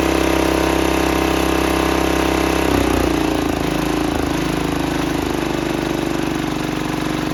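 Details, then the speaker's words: 1968 Sears Suburban 12 single-cylinder diesel, first run after new intake and exhaust and fixing an air-sucking fuel line leak: harsh, raw clatter with a brief speed dip, very loud; unsilenced intake and minimal exhaust. "she runs but oh my goodness is this thing loud it is loud it is very loud"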